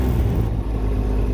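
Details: Can-Am Ryker 900 three-wheeler pulling away gently in forward gear at parking-lot speed with light throttle; low smooth engine note with no knocks or rattles, normal running.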